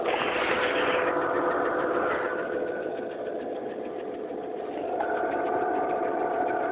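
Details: Mercedes E280 M112 engine warm idle: steady light mechanical tapping about three or four per second, absent when cold and apparently at higher revs, no oil use; shops suspect hydraulic lifters or pistons, unconfirmed.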